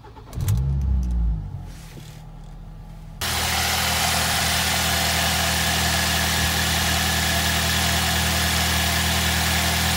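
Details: 2006 Ford Fiesta ST after fixing the vibrating manifold heat shield and venting the breather to a mini air filter: the engine catches after a short crank and settles into a smooth, even idle with a steady exhaust note and no rattles.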